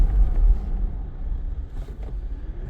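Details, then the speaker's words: Mitsubishi Pajero Sport after brake replacement, road test brake stop: only low road rumble, no squeal, scrape or grinding from the passenger side that was noisy before; bedding-in not finished. "He was getting a lot of sound from the passenger side. So, didn't hear anything then."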